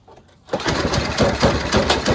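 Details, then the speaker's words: Simplicity snowblower engine after retightening a loose cylinder head, started: runs with sharp fast puffing chuff over exhaust note, gas still escaping at head; owner first thinks it needs a head gasket, later unsure after warm-up. "Let's see if it runs now. We may have to order a head gasket. Yeah, it's still coming out of there. We need we need a head gasket."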